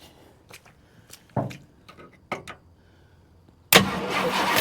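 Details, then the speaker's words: Abandoned 1968 Ford XL Fastback, 390 Z-code big block with Autolite 4300 carburetor, cranking after decades: scattered ticks and clunks then one sharp pop; fires once but won't run, owner suspects no fuel reaching it yet. "I wonder if it's got any fuel coming up in there yet. Probably ain't cranked enough."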